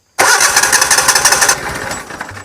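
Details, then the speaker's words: Yamaha EF12000DE / Robin RGV12000 generator on a warm restart: long rough cranking churn that finally catches and settles; extended cranking, owner suspects a slow-opening, old solenoid. "no see you saw that delay there and I think I know what that almost notice that when this light doesn't turn on the first time yeah I think reason I have to turn it over for a while start for a little while it's got to give that cello time to open up"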